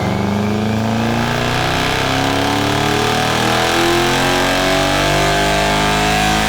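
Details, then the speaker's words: 1UZ V8 swapped mini-truck on dyno revving to 7400 rpm, intake temps cool, coolant about 190: hard rising pull with rough, lumpy edge instead of clean V8 howl; running on seven cylinders, misfire from failed coil pack. "I'm sorry if you guys were ever wondering what a seven cylinder v8 sounds like or B seven that's what it sounds like"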